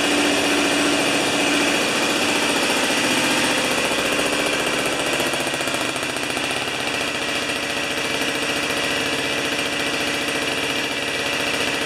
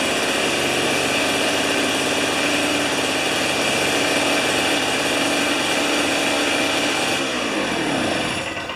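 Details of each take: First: Old two-stroke snow thrower that sat outside about two-plus years, now on 40:1 mix after starting with the choke. Crisp, steady buzz at an even speed with no misses or knocks, then dropping away as it shuts off; runs healthy. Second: Old two-stroke snow thrower, sat for years with old fuel, spark confirmed, RJ19LM plug. Primed with carburetor cleaner through the plug hole, it holds a high buzzy note about seven seconds, then sags and dies as the prime runs out.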